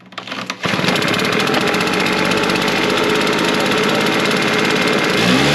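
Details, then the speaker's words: Backpack leaf blower after its bad fuel was drained and replaced with fresh gas, choke off: after a short pull it fires at once into a high, steady two-stroke buzz that holds evenly; running properly, old fuel blamed. "All right. That kind of shows uh me that the fuel he's been putting in this is not good."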